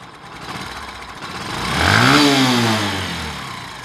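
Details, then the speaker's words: Old Discover 125 single, valve damaged earlier and cam and rocker arms already replaced without curing it: a light, quick "chik chik" ticking that follows engine speed, from worn valve guides. "মানে একটা চিক চিক চিক চিক একটা sound আসতেছে, এই সাউন্ডের মূলত সমস্যা।"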